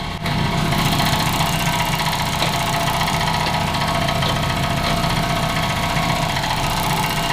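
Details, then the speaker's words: Freshly tuned 400 hp race Honda that began making this sound immediately after launch control. Steady idle with a fast, uneven tick of roughly three or four per second; cause not pinned down, and a belt-off diagnosis is planned: abnormal ticking at idle. "I just wanted him to hear the launch control. And immediately the sound came from the engine."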